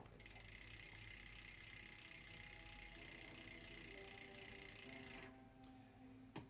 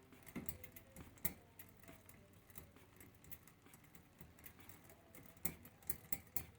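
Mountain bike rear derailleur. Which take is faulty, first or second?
second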